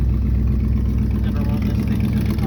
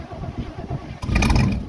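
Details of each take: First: 1971 Chevy Cheyenne C10 after a hard cold start at 22 degrees: steady, even low idle with a smooth regular beat and no misses or ticks; running fine. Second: 1971 Chevy Cheyenne C10 cold start at 22 degrees: slow, even cranking pulses for about a second, then it fires and catches with a rising roar; hard starting, then runs well.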